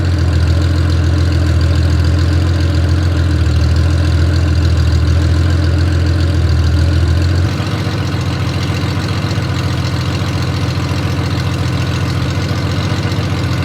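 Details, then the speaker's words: Honda Gold Wing six-cylinder running on open headers with no collector while curing freshly VHT-painted header pipes; loud deep drone with a rattly, crackling beat that then drops in level, a harsh open-header exhaust note. "Oh, there. That is very loud. And I'll only say that cuz I'm not going to say that sounds glorious cuz I don't think it does. I think that sounds awful."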